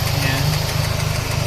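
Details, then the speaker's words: A Toyota Baby Altis with a 2E engine after a carburettor swap cured a clogged slow jet and dying idle, and a new noise appeared. A light, quick tick over a lumpy idle, in time with the engine; valve clearance was hoped for over pivot, later found to be loose rocker pivots. "Ngayon nung naayos na ito naman tumunog naman na. Ibig sabihin merong ah sana hindi tibot. Sana ano lang valve clearance lang."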